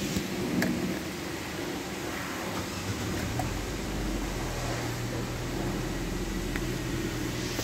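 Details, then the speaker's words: Nissan Sentra at 131,860 km with check engine light and code P0302 (cylinder 2 misfire), after replacing the cylinder 2 spark plug that was missing its electrode and clearing codes: quiet, steady idle with an even hum and fan whir, no stumble. Normal idle. "so wala na yung mpire natin bale solve na yung ating problema"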